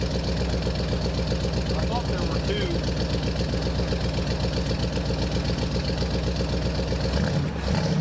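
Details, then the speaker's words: 1968 Pontiac Superior ambulance V8 at idle: steady sharp tick about four times a second from an exhaust leak at the Quadrajet carburetor's choke heater, which can be plugged. "You can hear that tick, tick, tick, tick. That's the exhaust leak, and it is, in fact, the choke heater."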